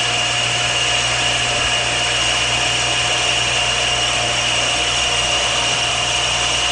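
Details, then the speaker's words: Shopsmith lathe with a lathe duplicator turning a table-leg taper, carbide scraping cutter set about 1/64 inch below center at a proper, not too fast, feed: steady high hiss over an even motor hum, no chatter; smooth cut. "nice smooth taper barely needs any any uh uh sanding"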